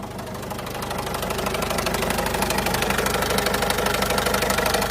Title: #Citroën Berlingo 2008 #1.6hdi 55.2kW.Sometimes make strange noises.Any ideas?